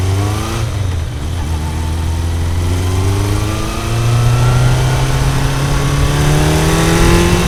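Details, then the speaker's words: Kawasaki motorcycle after fixing dead No. 1 cylinder: engine pulls cleanly up through the revs with no misfire gaps; normal running, though still needing fine-tuning. "na hát ennyi volt végre úgy megy ahogy ennek mennie kell így legalábbis nagyjából"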